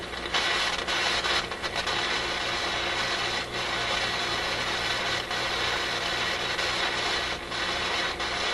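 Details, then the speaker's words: RCA Victor A24 vacuum tube radio during shortwave alignment: random sharp crackles and pops break through a steady hiss at irregular moments. This is an intermittent fault that does not seem to be physical. The owner suspects a switch contact, a tube or a bad capacitor; unconfirmed. "Doesn't seem to be anything physical, but it's going to mean it's a contact in a switch, the tube itself, some tube, perhaps a capacitor, of which there are many potentially bad capacitors."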